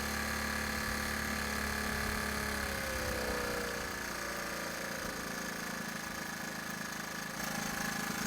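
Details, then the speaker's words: Honda ATC 110 barn-find single-cylinder after carburetor bench cleaning, warming up off choke with idle adjusted by screwdriver: a steady, even putter with no hunting, accepts a little throttle though it sputtered slightly when given gas; normal idle. "but it sounded a lot better it's running on no choke and I'm able to give it a little gas"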